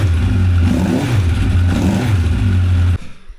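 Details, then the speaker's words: 1985 Honda CB1100F sat 20 years, after carb cleaning and fresh gas, first start: steady even four-cylinder exhaust note with no misses or knocks until shutoff, revved to about 9,500 rpm, slight bogging at first; normal running. ">> So, you just saw it run uh uh runs as it should, it sounds like."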